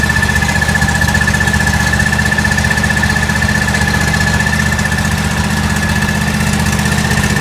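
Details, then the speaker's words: John Deere L130 lawn tractor after a blown fuse was replaced with a new 20 amp fuse and the battery charged: small single engine runs at a steady, quick, even beat with a constant whine, no misses or surging; running fine. "Well, it seemed like all it was a 20 amp fuse."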